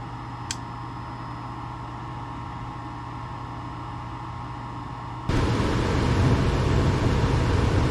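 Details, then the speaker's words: Trane XE90 furnace after replacing the control board (fan ran nonstop) with a White-Rodgers 50A55-843, thermostat set to 69: low hum then even rushing whoosh as burner ignites and blower starts; running normally, and shuts off properly. "Everything ignited, the flame is on, and it's running, and the fan is on."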